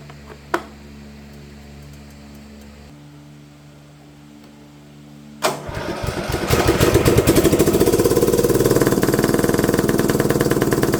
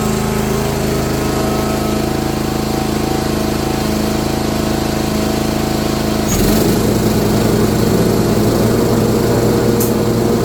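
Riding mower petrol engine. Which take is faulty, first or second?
first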